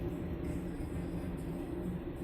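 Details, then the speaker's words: Hand-spun front wheel of a Haro Sport BMX during a rebuild gives a steady, coarse low rumble: the front hub bearings are shot; the rims are slightly bent, though the wheel still rolls well. "Let's take the front. Oh, them bearings are shot. You can hear it."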